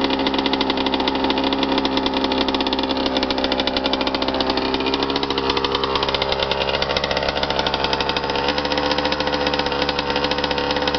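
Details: Suzuki RM125 two-stroke after full rebuild with new crank, crank bearings, rod, rod bearing, piston, cylinder wall and power valves: crisp even buzz holding steady, no knocks, rattles or misfires; healthy engine.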